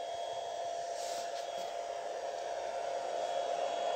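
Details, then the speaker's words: Cheap 500 watt power inverter with no load connected: loud, steady fan whir with a faint whine as its cooling fan runs at full speed, as it has no built-in automatic fan control. Cooling fan running at full speed with no load. "my dear friends you can listen how much noisy this power inverter is there is no load running at this time but still its fan is running at full speed"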